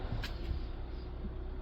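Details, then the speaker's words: 2017 Kia Soul 1.6 GDI non-turbo after valve clearance fix for low compression and misfires, fresh oil change: low even idle without shaking or stumbles, slight lifter noise; no misfire yet, running smoothly. "Obviously no misfire yet. Hasn't really been running long enough though. We'll take it for a quick test drive here, and hopefully everything's fine. Definitely running smoothly though, so I'm pretty excited."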